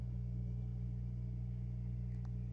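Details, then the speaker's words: 6040 CNC router's 1,500 W water-cooled spindle coolant pump running washer fluid and distilled water: steady low, even hum with no rattle or surging; pump running smoothly and quietly. "I hear the pump on and I see the lines going through the spindle he's nice and quiet see some bubbles going through and I can hear the hum"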